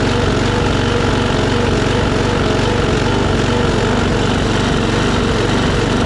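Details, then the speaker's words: Troy-Bilt push mower, Briggs & Stratton Quantum engine with auto choke, after carburetor cleaning and raising rpm from about 2,800 to 3,100–3,200: steady single-cylinder run with only a faint rise and fall; surging much reduced. "You know, it ain't surging near as bad as it was, and I believe that's probably good enough for her to use."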